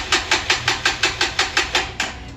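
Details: Freshly assembled Lifan KPR 200 motorcycle, tank shipped bone-dry and just filled, cranked with the clutch in: even starter cranking at about five to six beats a second for two seconds, never firing. Cranks but won't start.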